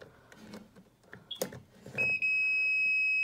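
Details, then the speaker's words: Whirlpool WRX735SDBM00 refrigerator not cooling, meter on continuity with probes on the compressor wire: a few handling clicks, then a steady unbroken beep, so the compressor cable is intact and the right plug identified. "don't know if you can hear the audible so the cable itself is good and that tells me it's the right plug that we're looking at"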